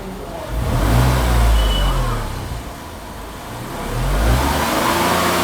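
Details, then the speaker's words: Tata Tigor BS6 three-cylinder petrol, measured outside with the hood open: revs rise smoothly and drop back with no knocks or rattles, peaking at 78 dB; normal revving. "so guys maximum it is touching up to 78 db i think it is average and good for a three cylinder engine"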